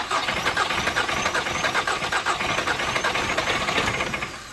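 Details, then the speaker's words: 2011 Volkswagen CC first start after repairs, fluids just filled; starter churns slowly and unevenly for four seconds without firing, battery at 12.1 V dropping to about 11.3 V with jump pack connected; voltage too low to start. "trying Needs Some More Voltage"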